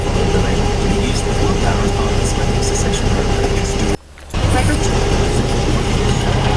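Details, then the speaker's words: VW air-cooled 1600cc turbo (T3) dune buggy with DIY fuel injection, no high-idle air valve, after cold start on rich cold enrichment, now somewhat warmed up; steady, slightly rich-sounding idle with an even beat as it comes up to temperature. "see and there you have it it's kind of warmed up the tap now and"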